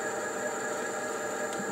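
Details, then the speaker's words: E-bike geared hub motor running after repairing its controller's shorted MOSFETs; smooth, steady high-pitched whir with no knocks, grinding or surging; normal hub motor running. "включаем давай вот подвези редукторный мотор-колесо нормально работает подержим минуту виду"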